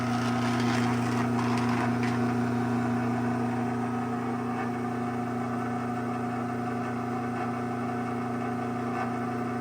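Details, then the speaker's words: Restored AccessMaster M100 garage door opener from 06/00 on a 9x7 door: steady motor hum with fast rhythmic chatter from a worn top bushing, still noisy after greasing. "Um, as you can hear, it does have a little top bushing noise. I did grease it. It's probably worn enough to where the grease isn't helping much,"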